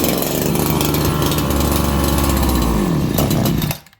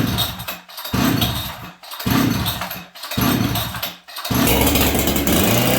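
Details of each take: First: Farmertec 288XP kit chainsaw after an ignition repair, carb being tuned at about 5°C: rough buzzing run with speed sagging and surging, pitch dropping before it cuts out; the saw is flooded. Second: Farmertec 288XP kit chainsaw: a few pulls and it fires, then runs a steady, crisp two-stroke buzz until it sputters out of fuel; it runs fine, though its oil pump doesn't oil.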